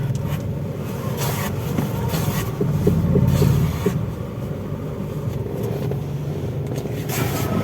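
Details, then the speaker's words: 2014 Toyota Vios Limo Gen 3 held at full steering lock gives a run of hollow clunking knocks over a low rumble; the strut mounts feel loose at full lock. "ketika mobil ini dibuat belok penuh nah saat memutar setir saat kondisi setir masih diputar itu ada bunyi kelotok-klotok"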